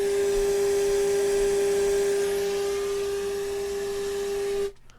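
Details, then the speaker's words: Fisher 800B receiver restoration, FM tuner fed a 400 Hz test tone at about 2.5 microvolts into the 75-ohm antenna jack: clean steady tone over soft even hiss, then cuts off; normal weak-signal FM reception. "if i go up to about 2.5 micro volts i can see a very clear sine wave with all the static and you can hear it"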